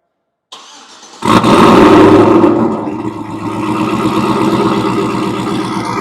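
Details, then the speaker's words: Chevy with Whipple supercharger add-on and intercooler pump: engine cranks briefly, catches cleanly and settles into steady even idle with no knocks or misses; healthy start. "Definitely like the way that sounds. Engine. Came out freaking awesome."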